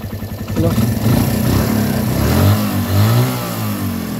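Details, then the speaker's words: Suzuki Thunder 125 brought in as a no-start case, after running a long time without stalling, idle then revved: clean idle rising into smooth, even revs and settling back with no misses or rattles; engine quiet and healthy. "hindi naman siya namamatay mga bro baba natin Menor oh Tingnan niyo naman kung gaano kaganda makina nito quality ' ba Ayan oh ganda pa tahimik pa"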